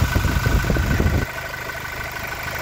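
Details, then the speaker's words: Toyota Innova Reborn diesel at idle with oil filler cap open: soft low even thumping from filler neck, no hard puffing or oil spraying out, so no piston-to-cylinder compression leak; normal crankcase rumble. "jadiungungungung itu normal ya apalagi tidak ada e apuli yang nyembur ke atas ya"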